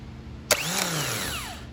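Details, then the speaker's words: 1999 Chevrolet Corvette Z06 (no-start, burnt wiring harness) starter motor bench-tested by jumping the solenoid switching post: sharp click as gear throws out, bright rising whine spinning down smoothly; starter runs freely, in good condition. "As you can see, the starter motor is working. It's in good condition."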